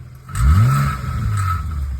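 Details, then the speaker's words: Infiniti M35x engine revved, worst on cold startup: tinny metallic buzz over the engine's roar from a loose exhaust heat shield; hose-clamping it down stopped the rattle. "When you rev up the engine like that and you hear that rattle, that's a loose heat shield."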